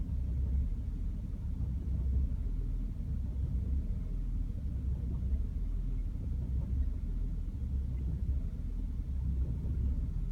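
Deep, low idle rumble that surges and dips unevenly over ten seconds instead of holding steady; this engine is idling rough. Cause suspected, not confirmed.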